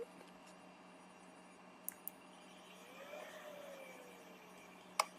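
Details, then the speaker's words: Pioneer GM-4000 car audio amplifier that would not power on, after repair (faulty saturated output transistor replaced, all solder joints redone): at power-on a faint steady cooling-fan hum and sharp relay clicks; amp switches on normally. "on a entendu ventilateur et le claque du relais"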